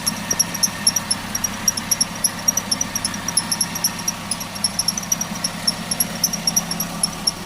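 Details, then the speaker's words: Car at idle during a periodic service check with the AC switched on: light quick fairly steady ticking over a soft idle; it disappears when the AC is switched off, traced to the AC compressor pulley. "Selanjutnya periksa apakah ada abnormal. Nah, ini ada suara berdetik."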